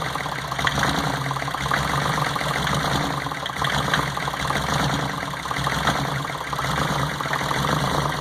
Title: Cylinder no 1 misfire